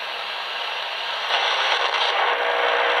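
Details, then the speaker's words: Smartphone heard on a portable AM/medium-wave radio held nearby, not plugged into mains: steady rough buzzy hiss and crackle swelling after a second as the screen lights; RF interference from the phone. "it gets even worse which decreases when I turn off the screen again but as you can see there's quite a bit of noise and this isn't even connected to any of the uh higher voltage 120 voltage sockets"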